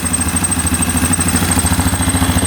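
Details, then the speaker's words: 2009 Yamaha Grizzly 550 EFI ATV with power steering, previously reported to over-rev and not start, after repair with the air box off. Steady, quick single-cylinder thump at idle, even and unbroken, no misses or pops. The engine light is on. "She's running good, not idling up yet. We'll see if the throttle works. Let this run for a second here."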